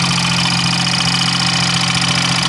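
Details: 1992 Geo Metro three-cylinder engine idling with a steady rhythmic knock over a rattly tone, the third Metro with this knock; owner asks why they knock then explode a cylinder; engine knock at idle.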